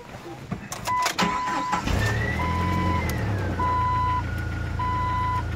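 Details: 2000 Jeep Wrangler with 140,000 miles: short crank, prompt catch and steady even idle under repeating chime beeps; healthy start, an exhaust rattle noted as harmless.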